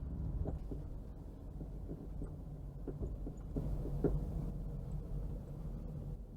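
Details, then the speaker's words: 1.6 Citroën Xsara Picasso test drive on rough road before suspension repair: sharp irregular clicks and clunks over steady road rumble from the front left, worn control arm bushes, ball joint and drop link. "that's that's quite a severe knock something sounds very very broken okay this definitely definitely needed looking at there's all sorts of different noises there's like clicking and clunking wow it's definitely coming from that front left there"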